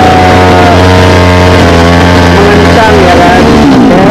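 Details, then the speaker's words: Small two-stroke mini water-pump engine on premixed petrol, hard to start: revs climb unevenly on their own, then the note falls away as it stalls; fuel starvation. "Jadi terkadang bisa hidup tapi gasnya naik sendiri dan lalu mati ya guys."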